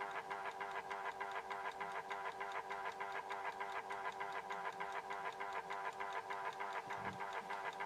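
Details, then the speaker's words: Horstmann VA Mk9 SRS2 time switch self-winding its spring reserve: quiet, very regular fast escapement ticking about three per second under soft synchronous-motor whirr; normal. "So as you can hear there, it was ticking a little bit. Okay, the synchro motor did wind that up a little bit, and got it ticking ever so slightly."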